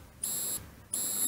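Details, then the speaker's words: 1932 Ford sedan, ignition on accessory, left indicator on: the flasher relay's buzzer gives two short, even high-pitched buzzes about 0.65 s apart, quietened from very loud by a screw in its underside hole; working normally. "And can you hear that relay there on the right? That's buzzing. Only gentle. When I first tried it, I nearly jumped out of my skin. It was so loud."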